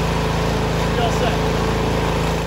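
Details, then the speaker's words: Snowblower after a choke-on, three or four primes, electric-button start: quick, even single-cylinder putter at a steady level; normal idle. "make sure the key is in it and then there's a button right here so you're just gonna hit the button it should fire right up"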